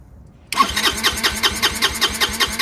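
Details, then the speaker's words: Chinese GY6 150cc scooter with a brand-new replacement carburetor on factory settings: the starter churns rhythmically at about seven beats a second but the engine never fires; it cranks and won't start without priming or starter fluid. "it's actually not going to start unless you prime it or give it some uh help you know with uh starter fluid no it's not going to start"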